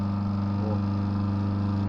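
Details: Small Adler washing machine that only hummed before repair, run after reconnecting the motor wiring: steady, even low hum with no rattle or scrape, then a clean cutoff; the motor now spins freely.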